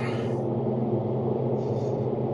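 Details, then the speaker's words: Volvo V50 while driving: steady low droning rolling hum from underneath, suspected worn wheel bearing or driveshaft, not confirmed; wet areas and an eaten support also noted. "also have some rolling. I don't know if it's a bearing or a driveshaft. You can hear it, it sounds very noisy."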